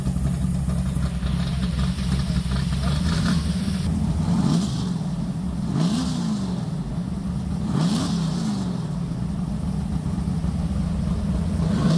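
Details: Lumpy idle, then revs rising and falling cleanly several times, no knocks or rattles, from a big-block V8; normal idle and revs.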